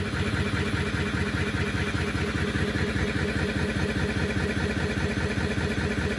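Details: Siemens Runner E14 3R washing machine before repair: steady heavy thumping at about 2.5 beats a second during the spin, the drum banging on worn shock absorbers, fixed by replacing them.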